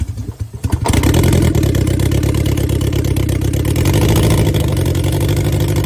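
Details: 1990 Mazda Miata, hot-wired, started after sitting about 7 years, starter having issues: slow cranking catches about a second in, then an uneven, lumpy idle with irregular pulses, like a cylinder or two not firing; cause suspected, not confirmed.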